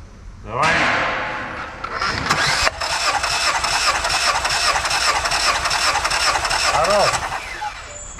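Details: Lada Vesta 1.8, about 60,000 km, compression test: starter cranks evenly before engine catches and settles, no lopsided beat; all cylinders around 13.5; normal compression while cranking.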